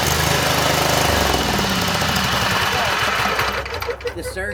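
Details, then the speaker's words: Craftsman GT5000 riding mower, 22 HP Briggs & Stratton OHV V-twin, after a carburetor cleaning for a no-start: runs with an uneven, surging beat for a few seconds, then quiets and evens out. The surging stopped by itself. "The surging stopped by itself, guys. How about that? Yeah, the surging actually stopped by itself."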